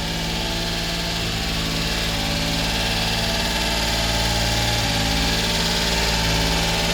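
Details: 1990 Subaru Sambar dump truck, 660cc four-cylinder, two-wheel drive, 36,000 km: steady, even idle with a smooth low throb and no knocks, misses or hunting; idling healthily.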